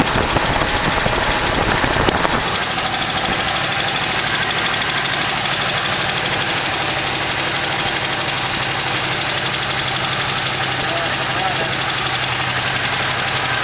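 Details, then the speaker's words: 1968 AMX with 401 V8 (replacing 360 Go Pack), first start after carb work: uneven idle with sharp quick ticking over the rumble, not idling well; later found a lifter worn through with a hole in its bottom. "but the motor did fire doesn't seem to be idling very good but at least it fired"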